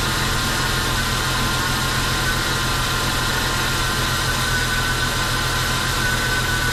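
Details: Jeep Cherokee, dormant eight years, running after an oil and fuel change: constant airy hiss over a steady idle with no knocks. The owner attributes this to a couple of missing vacuum lines; the alternator charged above 13 V.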